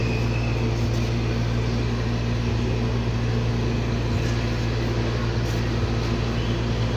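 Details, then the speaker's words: Motorcycle engine after rebuild, pushrods and rocker arms refitted, valve clearance set to 0.05 intake and 0.06 exhaust: even low idle with soft valvetrain patter, no loud tapping; fairly quiet, timing and idle gears not replaced. "Okay mga boss amo yan medyo tahimik na yung andar ng ating ginawang motor"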